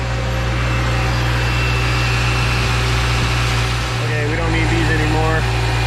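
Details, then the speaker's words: Subaru Forester idling with AC on after replacing a junkyard AC compressor that was making noise: compressor hums smoothly, no knocking or squeal, old noise gone, AC pressures good. "sounds good looks good [Music] no longer hear the noise [Music] and uh these pressures look good too"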